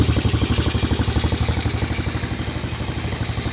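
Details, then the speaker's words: 2003 Honda TRX 90 small single-cylinder ATV, just started and taken off choke: steady quick idle of about four even, clean beats a second; normal, healthy idle. "this little thing hers baby sounds pretty good"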